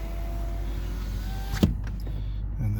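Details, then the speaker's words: 2007 Nissan Altima driver door after master window switch replacement, engine idling: steady window motor hum, then a firm clunk as the glass stops; window works, motor runs smoothly and strongly. "then see if this window goes down. Yay. Window switches replaced."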